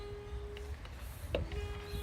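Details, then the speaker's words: Volvo wagon with poor fuel economy and hard cold starts, fuel tank pressurized with a bicycle pump through the fuel delivery line: a thin steady whistle that stops and returns as air vents at the fuel cap. The system is sealed; no tank leak. "now the pressure gauge on this pump is not very good so we're not really seeing any activity there but we keep pumping you will hear the car sing"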